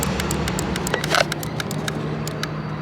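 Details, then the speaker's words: 2006 Mini Cooper S supercharged, engine running: quick even clicking, several per second, from a relay in the under-hood fuse box pulsating with nothing happening; the relay was warm, and the car struggles to start. "you guys hear that something is clicking in here but it's like nothing is happening"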